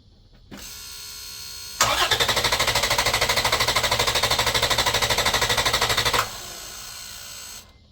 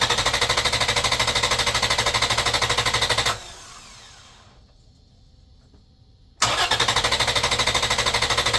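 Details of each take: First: 2011 Toyota Tacoma 4.0L V6 cranked on a Buture Beta07 jump pack alone, without the main battery, with the ECM relay pulled so it cannot start; strong, even cranking at about three beats a second that never catches. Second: Engine cranked on a Buture Beta07 6000 A jump starter in boost mode: strong, even cranking about three beats a second without slowing, repeated for five good cranks with no start. The pack dropped one charge bar.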